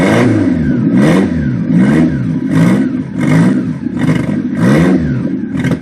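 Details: 1992–1996 Toyota Camry engine surging and sagging about once a second, never settling into a steady idle; hard starting, white smoke, stalling 3–4 times when started, before the standalone wiring harness, which afterwards fires it up every time.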